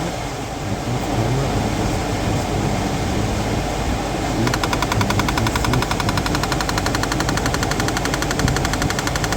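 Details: 2011–2017 Honda Odyssey rear HVAC: rapid, even clicking buzz over steady fan rush; the blend/mode door actuator tries to rotate past its ~75° range, gets stuck and its motor skips gears. Fixed by replacing the actuator.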